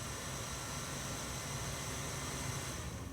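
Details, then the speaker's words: 300 W pure sine wave power inverter, cooling fan triggered by heating its temperature sensor with a 725-degree soldering iron: steady soft airy whir with a faint hiss, no ticking or rubbing; the fan and sensor work normally. "let's just see if that causes that fan to turn on and it does in fact those turn on may be able to hear that"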